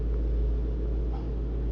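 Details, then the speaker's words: 2013 Mustang GT convertible V8, 126,000 miles, wrecked and being rebuilt, first start: deep, steady, even idle rumble with no knocks, misses or ticks; owner notes a little rattle at start-up to track down. Normal idle. "Let's see if it starts. That should be fine. Little rattle. I figure out what that is. Ah, it sounds good."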